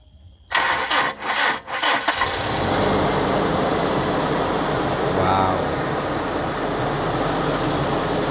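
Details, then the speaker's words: 2000 Toyota Kijang Krista 1.8 EFI, cold start right after an oil change with Top 1 HP Sport oil: short cranking, quick catch and brief rev rise, then a smooth steady idle that should calm further once warm; normal cold start. "suara mesin Kijang Krista 1,8 Efi uh suara mesinnya Syahdu banget nanti kalau udah tercapai dia akan lebih tenang suara mesinnya"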